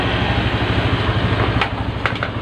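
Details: Honda Vario Techno scooter brought in for not starting, with its battery original since about 2014. Charging shows about 13 V. Quick, steady single-cylinder patter with a few handling clicks; an even, healthy idle.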